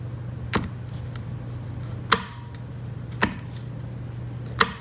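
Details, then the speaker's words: Quantum 4Front power chair drive motor parking brake: crisp sharp clicks, about four in five seconds, over steady low motor hum, no metallic pinging; much more decisive, normal brake engagement. "but yeah listen to the sound it's so much better"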